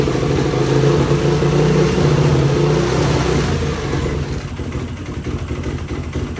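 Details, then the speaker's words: 2004 Yamaha YFZ450 quad showing zero compression on a gauge, after cleaning the spark plug: single cylinder thumps at a fast, uneven pace, then spits and stutters as it settles; sputtering but running better than before, cause unclear. "and it's spittering and sputtering a little bit but at least it's running this is running better than it has before situation"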